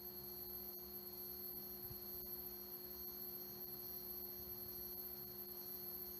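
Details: Vintage 1976 Bulova Accutron 219 tuning-fork watch running normally: a clean, steady high hum holding the same pitch with no wavering.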